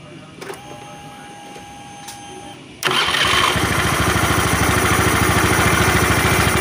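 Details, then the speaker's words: Honda Beat FI after repairing a rough electric starter gear and a slipping kick starter: one quick clean electric start settling straight into an even, steady idle, with no starter grinding. "Ini udah bagus kita coba starternya ya kita coba starternya nih kita starter ya Nah dan mesinnya halus ya starternya halus di sini ulang lagi"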